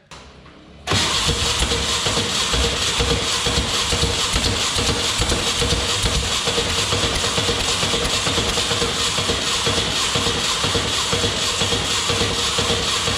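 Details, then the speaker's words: 1962 Berry Mini T kit car, VW engine, sitting since 2018, re-timed with cheap distributor: long steady cranking about two beats a second, no firing. "so i set the timing based on the haze manual and it wouldn't run it was 180 degrees out and spit sputter wouldn't take"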